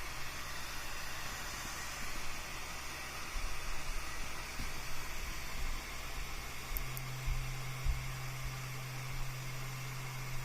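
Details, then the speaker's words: 12V fan rated 1.32A, driven by an Arduino and MOSFET at 50% duty PWM with no smoothing after the MOSFET: at 64 Hz a soft, steady low hum sits under the airflow hiss. "32 Hertz 400 milliamps 64 we can hear a low hum"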